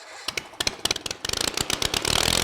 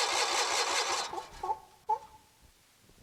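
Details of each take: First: Kohler 23 hp big block twin after refuelling, with new spark plugs and a sticking choke lock freed: sharp firing pops build quickly into a fast, steady beat; catches and runs cleanly. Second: Kohler 23 HP big block engine cranking after spraying starting fluid: starter spins it evenly about 2.5 turns a second for several seconds, never fires; good compression, plugs then checked and replaced.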